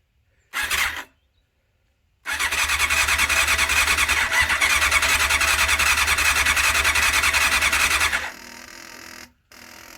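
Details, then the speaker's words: 1989 Honda CBR600 restoration with freshly cleaned carbs: steady starter whirr for about six seconds with no catch, crank-no-start because the fuel was not switched on. "Well, now it's priming. Probably would help to switch the fuel on, wouldn't it?"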